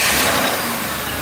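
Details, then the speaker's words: 2005 Crown Victoria police car V8 started after replacing the grounded No. 4 ignition coil and plug that kept blowing fuse 9 and killing all coils; engine catches and settles into smooth even run, no stumble; normal start and idle. "Sure we're not blowing fuses, everything looks good, and we'll rev it up, make sure no fucking funny business, and back up to normal."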